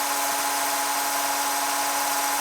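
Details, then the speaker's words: VHS tape rewinding in a VCR with its cover off: constant whirring hum with hiss at fixed pitch and funny noises, the deck straining; tape previously snapped on rewind. "There, it's starting to make funny noises again."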